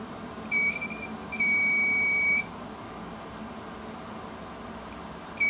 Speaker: so that's combined run out probably in the collet and the tool itself